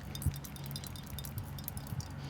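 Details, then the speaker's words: Callaway XR16 driver head: light, irregular metallic clinks and rattles each time the head is shaken. Something loose is moving around inside; the owner suspects epoxy or glue has come loose, not confirmed. "So I don't know exactly what's in there. I think there's some epoxy or glue or something that has come loose, and it's shaking around."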